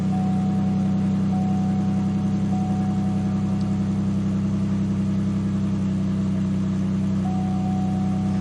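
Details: 2007 Buick LaCrosse auction car with low oil level warning, cold-started and idling: rapid, even puffing tick over the low rumble; suspected exhaust leak.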